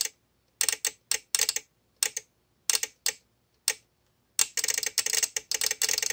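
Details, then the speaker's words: VXT-24 boiler water feeder removed from a two-year-old installation that flooded the steam boiler: bursts of rapid sharp clicking with uneven silent gaps; feed relay chattering because a weeping leak shorted the manual feed switch, bypassing anti-flooding protection. "take about a minute's worth of clicking please be patient"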